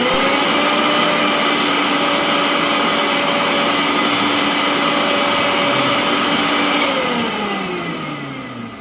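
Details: Mixer grinder after repair, with the tripping overload switch shorted out to bypass it, so it must not be run under heavy load: a loud, steady high motor whine at constant pitch, then a smooth spin-down after switch-off; the motor runs evenly.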